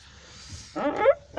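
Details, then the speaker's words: BMW E39 door swinging, two squeaky groaning creaks rising in pitch; dry door check strap creaking, soap lubrication only helps briefly, possibly washed off by rain. "Вот сейчас, смотрите. Слышно, как он скрипит. Вон тут."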